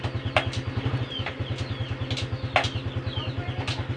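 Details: Honda Supra X 125 FI, idling: even thump with sharp metallic clunks on gear shifts, irregular; clutch release ball returning early.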